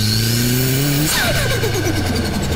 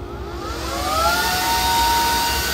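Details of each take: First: Turbocharged 1000 cc engine at 20 psi without intercooler or blow-off valve: whoosh drops sharply as the throttle body shuts, then rapid "stut-tut-tut" flutter as back-pressure bounces the compressor wheel, compressor surge said to damage the bearings. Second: Homemade turbo for a Vario turbo build, no blow-off valve, spun up on a freshly charged battery to measure boost: high whine climbs smoothly and holds a steady rushing tone; normal spool-up.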